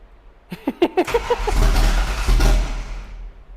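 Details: 1988 Foxbody drift car, first start attempt after wiring fixes and fuel priming: cranking breaks into uneven chuffing pops, then a lumpy, stumbling run. Only about half the cylinders fire because the distributor is 180 degrees out.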